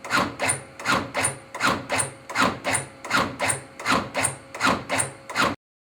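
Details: Vidalia Fire Department's new AutoPulse automated CPR compression unit for cardiac arrest, activated for a demonstration close-up. Even, rhythmic whirring squeezes at about 80 a minute with a clean return on each stroke. Running normally.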